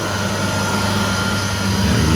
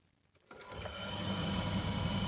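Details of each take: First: Candy CTDB H7A1TBE-80 integrated condenser tumble dryer, with the door switch overridden, after the motor capacitor fault was fixed: steady, even motor hum with a low mains-pitched drone, no grinding or knocking; drum motor running fine. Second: Candy CTDB H7A1TBE-80 integrated condenser tumble dryer: drum motor won't start alone, only the pump runs; after a hand tug on the belt it hums up into an even spin; failed 7 µF run capacitor.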